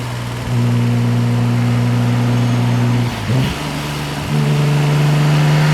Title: b5 s4 testpull , misfire on CYL 2.